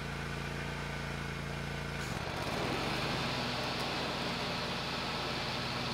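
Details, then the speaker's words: Hustler Raptor SD zero-turn mower after a seat switch fix and battery recharge (it had died when moved and bogged when the mower was engaged); the note dips briefly as the throttle changes, then holds an even run with no stumbling, normal running. "so uh Lessons Learned simple thing like a switch could be the only problem even though it sounds like a mechanical issue yeah okay I got bit a little bit of hubris but that's okay mower is working again"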